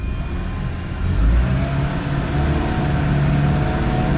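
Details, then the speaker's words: 2006 Ford Transit VH 2.3 with low power complaint; live data shows short-term fuel trim running rich; revved, revs climb slowly and flat with a dull, choked drone, no crisp pickup; restricted exhaust. "that feels a bit gutless right there let's get the revs up it sounds like absolute crap"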